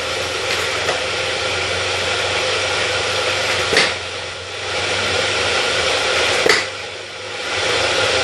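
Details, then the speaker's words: Elite Turbo Muin bike trainer: steady rushing drone with a slow rhythmic whoom-like knock every two to three seconds from inside; owner suspects an internal part is sitting angled, cause unconfirmed. "Now you hear like a, it's like something's no positioned right, and it's, instead of being like in a straight line, it's kind of angled and you're getting like a whoom whoom whoom whoom whoom whoom noise."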